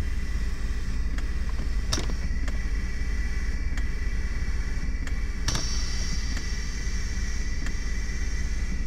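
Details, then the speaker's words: Mercedes central locking (door lock) pump, engine running, lumbar support switched on; pump keeps running with hum and sharp clicks, never reaching pressure because lumbar support bladders leak: central locking pump cycling due to lumbar support leak. "the pump cycles now put it on three I have a leak here going on so and that's bad for the pump you see how it cycles you can never reach that pressure"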